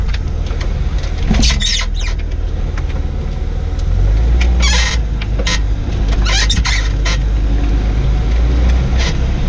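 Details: 2004 Jaguar XJ6 X350 rear suspension gives short, irregular squeaks and creaks over road rumble while driving, two weeks after a rear air strut replacement; owner unsure whether the strut or a failed bushing is the cause.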